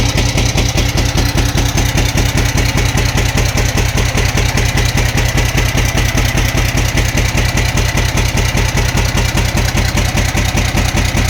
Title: camc engine knocking sound